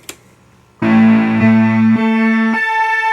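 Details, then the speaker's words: Early 1973 Minimoog (SN 2181) before restoration: held notes sound sour and unsettled as the oscillators waver, track poorly and won't hold tuning, oscillator 2 worst; the power supply is suspected as the cause. "So oscillators just kind of, they're wavering a whole lot. They kind of track, they don't track real well. Let me actually tune this thing up real quick. Oscillator 2 seems to be the worst. They don't want to hold tuning."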